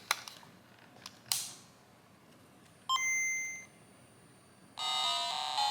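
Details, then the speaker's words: Game Boy Color bought for parts, after repairing its power and sound faults and reassembly: clear bright two-note startup chime, then game music playing cleanly and loudly with no crackle or dropout; speaker and power restored. "right there you go we got the audio restored we got the power restored"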